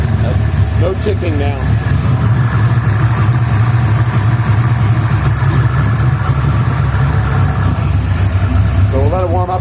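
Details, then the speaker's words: 349 V8 at cold-start idle after first valve adjustment since build (half-turn preload), new Autolite 3924 plugs, Summit low-ohm wires, cleaned rotor; steady even rumble, earlier slight tick seems quieter, blipped to show no exhaust popping; normal cold idle. "a second I'll give it a quick quick couple revs to show you that it's not um popping in the exhaust"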